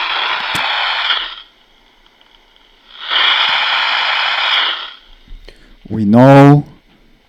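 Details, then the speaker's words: AM radio held near a cell phone with no screen to show whether it is turning on or off: two long hissy static bursts, then a rising warbling buzz, normal interference confirming the phone is booting up. "from this that the uh the cell phone is turning on right because it's it's making a noise definitely it's coming from the cell phone"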